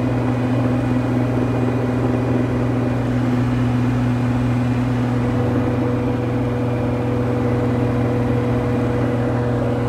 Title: broken bearing